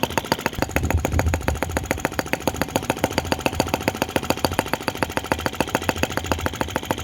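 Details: OKMO T16B Lanz-type brass half-tracked model tractor, outdoors, blowing smoke rings at scale speed: crisp, evenly spaced exhaust pops about eight a second, steady with no misses; normal healthy slow idle.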